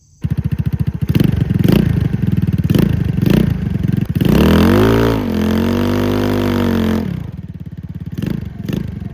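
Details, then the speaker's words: 150cc GY6 scooter engine (under 1,500 miles) swapped into 50cc scooter frame with aftermarket exhaust kit; steady thumping single-cylinder idle, clean rev up and down, even idle again – normal running. "The exhaust, this whole kit here was 80 bucks on eBay, and I love it. It's not too loud, not too quiet, it's just perfect."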